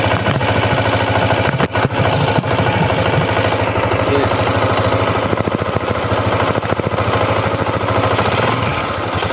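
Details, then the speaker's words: Honda CG125 single, mic held close to carburetor at idle; won't idle, dies on throttle despite new plug, coil, CDI: uneven puffing thump with sucking hiss; intake air leak at cracked carburetor insulator. "सुने ये ये sound जो है ये फस पस की sound कर रहा है मींस कि एयर जो है"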